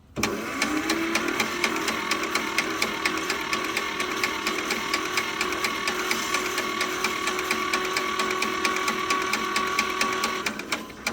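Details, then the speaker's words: John Deere Model 50 tractor, roughly 1955-56, sat about 15 years; starter spins freely with steady ticking about two beats a second, no binding, turns over good with good compression. "Turns over good. Good compression there. Let's see if I can get on the other side. I think good compression."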